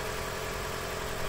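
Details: 2013 Toyota Prius, 3rd gen, idling to recharge after being turned on with a portable jump starter because an interior light drained the 12V battery to 5V: low, quiet, even hum without knocks or misfires; voltage reads 14 volts.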